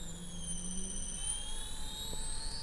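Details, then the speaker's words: Castle Creations Cobra 10A ESC on bench, sensored motor, unloaded: faint low startup-mode "UFO" tone drops away near one second as it switches to normal mode, high motor whine continues smoothly and quiet. "I kind of like the I kind of like the UFO sound and once you get into an RPM range that's above the startup it gets very quiet"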